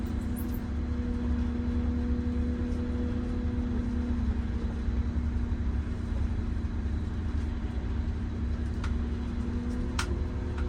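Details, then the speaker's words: MCI 9 coach test drive after replacing very bad wheel bearings, king pins and air bags: steady low road rumble with the engine now clearly audible and no growl or whine rising with speed; quiet wheel bearings, previously drowned out by bearing noise. "yeah I can hear the engine today and the other day I couldn't hear the engine because of the wheel bearing noise"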